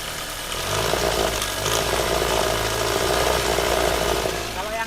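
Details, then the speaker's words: Toyota Avanza idle before repair: rough, with a loose, clattery rattle and ticking riding over the engine. Caused by a worn timing chain tensioner plus excessive valve clearance; fixed by replacing the tensioner and lifters. "Avanza ini kan kemarin datang suaranya kasar kemelatak enggak karu-karuan gitu kan"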